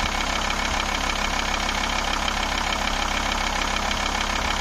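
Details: Volvo 850 straight-five diesel idling, blow-by check showing no breather puffing: even diesel clatter, steady low beat, no irregular knocks or hiss; normal idle.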